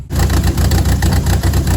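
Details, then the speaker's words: 400,000-mile 1.8T B5 VW Passat with a new timing set, cleaned injectors, smoke from the valve cover and most vacuum lines disconnected: an uneven, lumpy, loping idle. Owner suspects one cylinder is down. "It's running even worse right now because almost every vacuum light is disconnected, but I don't think that's supposed to be happening."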